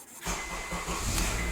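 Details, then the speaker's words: 2007 Honda CR-V with an intermittent no-start, still present after the dealer replaced the starter; started after the ignition cylinder's breakaway bolts were removed. Brief crank, then it catches cleanly and settles into a steady idle, a normal start. "yeah so there you go you can start the car"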